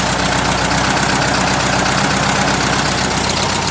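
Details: Rebuilt air-cooled VW flat-four, a tight motor, with the generator light out: even, steady idle with a regular exhaust pulse about four per second and no knocks or misses; normal idle.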